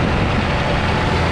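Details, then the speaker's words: 1988 Mazda 323 at idle after fan rewiring: one fan runs whenever the ignition is on, the other with the AC compressor or by temperature. Steady idle with an even whoosh of fan air, no ticking or grinding: fans running normally. "so I think that's going to be enough to keep her cool I can feel a lot of air movement now that fan turned off cuz the compressor uh just finished"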